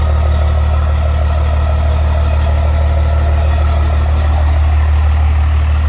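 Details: Cummins diesel swapped into a Ford truck, first startup after the swap and rewiring (swap adapter tach signal converter, fuel pump wiring): deep, steady idle with an even, regular clatter and no misses or knocks; tachometer works, check engine light on.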